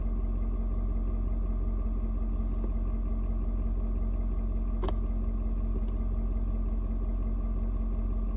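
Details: Ford Super Duty 6.7 diesel, cold start at 56°F, mellowed out after adjusting its fuel mix to the outside temperature. Steady, even clatter at a settled low idle with no misses or knocks. Normal cold idle.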